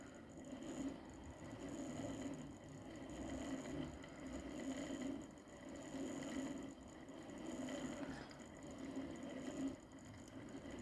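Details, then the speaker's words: Model locomotive on the rollers after repair (Hornby Class 57 diesel-electric test, or elderly Triang Flying Scotsman with tender chuffer): steady even chuff over soft motor whirr, no stumbles; running cleanly and healthy. "she's a really good runner so there we are okay kevin we'll be happy with that"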